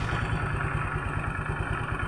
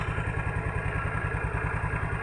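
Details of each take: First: Automatic scooter CVT, cover open, after the fault fix: steady even idle with no rattle, clatter or jolt at the rear pulley/clutch on gentle initial throttle; rattle had been caused by badly damaged rollers jamming in the roller housing. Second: Automatic scooter with the CVT cover open: an uneven putter with a light metallic rattle from the rear pulley or clutch area, heard only when the throttle first opens and gone at higher throttle.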